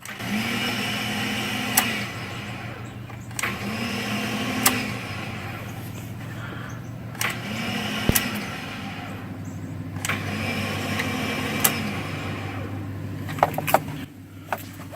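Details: 2005 Ford F-150 5.4L, key on with no crank and check engine light on: a steady high electric whine or drone with a sharp tick about every 1.6 seconds; source unclear.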